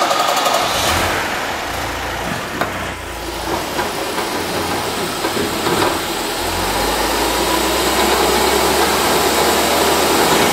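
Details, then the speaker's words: Car running with gearbox/differential (reducer) after metal filings were added: loose, fast rattle about four a second, seeming louder at first, then noticeably quieter; to be tested again in reverse. "какой-то по-моему ещё больше стал гремит Ну гремит сильно понятно"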